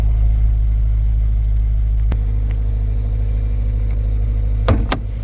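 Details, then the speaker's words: 2006 Toyota Corolla four-cylinder with check engine light: a deep, uneven, lumpy idle that stumbles instead of humming smoothly; the scan shows P0301, a cylinder one misfire, which was fixed by replacing the ignition coil. "Scanning for fault codes. Cylinder one misfire detected."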